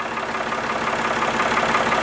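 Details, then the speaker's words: Backhoe loader diesel at warm idle after treatment, measured from the front (under 70 dB) and the side (about 70 dB, versus 81–85 dB before); even regular beat, no knocks or rattles; normal warm idle, clearly quieter. "descend sous les 70 décibels donc là devant on a une différence notable maintenant sur le côté là qui a été le plus brillant tout à l'heure non nous autour de 70 décibels"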